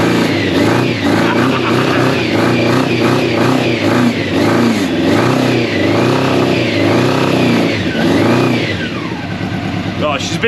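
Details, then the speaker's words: Old Honda CBR600 track bike, long unused, first start with fuel pump running and choke just off: loud four-cylinder blips rising and falling, picking up cleanly, slightly boggy while cold; it runs. "right switch that off because it gets smoked out here I'm gonna have to open the door but that's a win and that's a win the free bike she runs"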